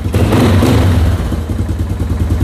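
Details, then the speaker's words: Moto 4 ATV after restoration, cold start with no choke: single-cylinder thumping at an even, steady beat with no misses or rattles; runs healthy. "Oh yeah, beautiful. It's cold, and look at this, no choke."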